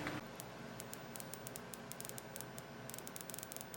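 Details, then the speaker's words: HP 2509m LCD monitor: faint, irregular cricket-like crackles and ticks over a quiet hiss from the top CCFL backlight tube arcing at a poor insulator; tube destroyed, same fault as the other noisy tube. "See that arc? Ain't that cool? I totally missed this when I took it apart. That thing's completely destroyed. It's exactly the same thing that happened to the other one making that noise."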